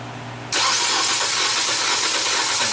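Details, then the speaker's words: 2014 Nissan Versa HR15 engine, crank no start after engine was power washed, P2138 APP sensor code: fast, loud, somewhat uneven cranking that never catches; suspected compression loss or flooding from repeated cranking, not confirmed. "all right so it doesn't sound too healthy it sound like a losing compression"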